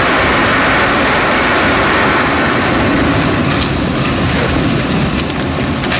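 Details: 2011 Chevrolet Cruze with the engine running at idle: a loud, dense metallic rattle over the engine noise; the cause was never found before the car was traded in under warranty.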